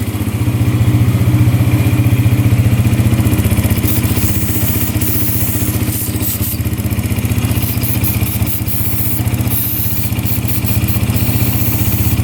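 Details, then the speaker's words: 2011 Yamaha Raptor 125 quad, with good fuel flow from the petcock confirmed, checked for air leaks around the intake boot: steady, even single-cylinder idle with no surging or change, so no intake air leak found yet. "All right, we're just checking for air leaks around the boot here. So, it'll change in idle if it's sucking in anything. Nothing yet."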